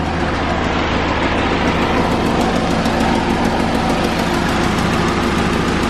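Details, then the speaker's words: 2001 Honda Civic (7th gen), engine idling while A/C system is recharged with refrigerant: steady, even idle with a constant low hum and no knocks or misses; runs smoothly, normal idle. "So on tap right now, you can hear the Civic running in the background."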